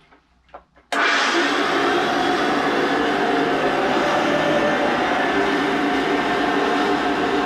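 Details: Hoover vacuum cleaner, new bag fitted, switched on: abrupt start into a steady, loud, rough whirring roar with no speed change, harsher than it should be; owner suspects the motor needs lubrication, unconfirmed.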